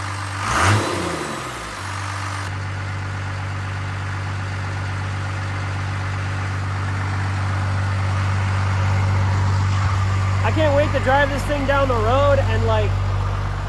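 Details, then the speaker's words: Newly rebuilt Cummins-swapped Ford truck (the "Fummins"), hood closed: steady, even low diesel idle with a faint high turbo whistle on top, smooth with no knocking or rattling; normal idle. "I'm still kind of screaming talking in camera but I'm not going DEA driving this thing listen to this turbo whistle"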